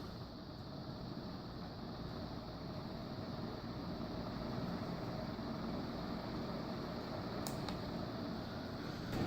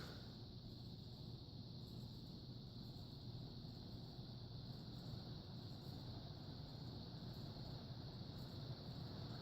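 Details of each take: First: Demco industrial fan in a fan museum, running with a quiet, even hum and soft steady air rush, no ticking or rubbing; normal running. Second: Vintage ceiling fan with steel blades and a steel motor on high speed: a steady low hum with a faint light buzz, something loose, added to the maintenance list.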